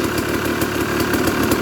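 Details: Used dirt bike inspected before purchase, started with choke: steady even idle with clean regular firing once clutch lever is pulled in, silencing the clutch rattle; no ticking or knocking from the top end, healthy.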